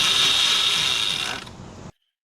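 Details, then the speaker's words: Yozma IN10 electric dirt bike, about 300 miles, chain tightened three times for stretch; rear wheel lifted and throttled: fast, harsh ratcheting rattle over the motor as the wheel spins up, then drops away; worn chain tensioner pulley. "So we were like, what's that racket? That's not normal. And you know we've been having all these chain problems, right?"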